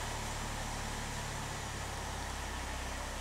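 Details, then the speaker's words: 2011 Chevy Malibu with intermittent no-crank, after replacing a blown fuse and refitting the original ignition switch: starts and settles into a steady even idle with no stumble; normal start and idle. "and that's it so blown fuse explaining this problem"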